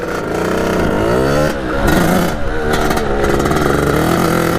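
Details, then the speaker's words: 1989 Kawasaki KX80 big bore two-stroke after jet replacement, ridden gently around the yard: revs lazily then surges hard at the very top of each gear, feels stuck in first; late power band, owner suspects still running lean. "because it's going to go and first-years can go mmm then finally rev up like at the last second I think was like that through all the gears and it kind of feels like I'm always in first gear it's kind of strange"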